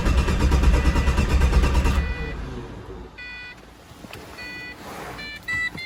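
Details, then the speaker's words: Pontiac GTO cranks steadily for two seconds but never catches, then chimes; no fuel pressure with the pump running; the cause turned out to be a bad fuel line fitting, not the hose; crank no-start. "Don't start. No fuel pressure."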